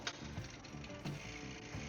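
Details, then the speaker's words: Repainted old GT Rapid Transport bike built into a cruiser with a Nexus internal-gear hub, rear wheel spinning while shifting up: a light metallic tink about once per pedal turn over freewheel ticking, as the crank arm strikes the chain guard, which needs bending. "crank arm is I'm going have to bend the chain guard. So, I'm sure you can hear that tink."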